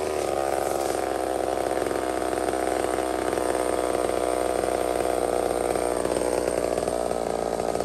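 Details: Small Homelite chainsaw cutting maple: a steady high two-stroke scream holds revs under load through the cut, with no bogging or rattle. Normal cutting; healthy saw.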